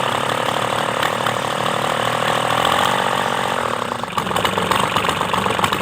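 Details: Kubota D905 three-cylinder diesel after valve clearance re-tune, run with rocker cover open; steady idle with even, light valve clatter and no single loud tap standing out; valves sound correctly set; normal idle.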